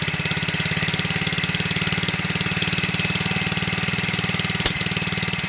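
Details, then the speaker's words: Onboard RV generator under test, no power output: steady, fairly slow throbbing beat about four pulses a second, no knock; engine speed judged too low and needs turning up. "And we gotta turn this thing up. This thing got, no, it's too low."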